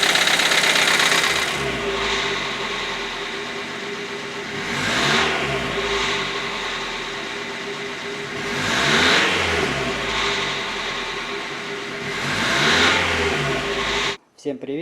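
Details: Hyundai Accent 1.6 petrol before repair: quick, even top-end ticking over the engine as it revs and settles, hydraulic lifter knock.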